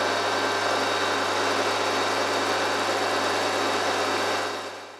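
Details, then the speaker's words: RF45-style milling machine (AMA 45, Taiwanese) geared head after a gearbox rebuild for a rattle, less backlash in the gear train, resealed and refilled with recommended gear oil: steady, even hum with no knocking or grinding, then winds down; smooth and quieter than before. "I don't know if this will come across on video but it sounds significantly quieter and smoother than before"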